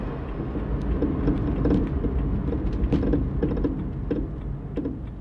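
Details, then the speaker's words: BMW E90-platform car slowing on a slightly rough road: loose, uneven knocking from the suspension, from worn sway bar end link ball joints with play. It is quiet under acceleration and returns at steady cruising. "是不是可以听到抖动的锤击声这很明显就是防倾杆小连杆的球头有磨损了中间产生间隙了"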